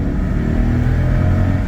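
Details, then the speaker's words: Mercedes R500 V8 that shakes badly at idle: under full throttle it pulls with a smooth, unbroken roar, no bucking or misfire, possibly slightly down on power; normal full-throttle acceleration. "I would say that feels about normal for what this engine is. It might be a little bit down on power, but it's not breaking up or anything."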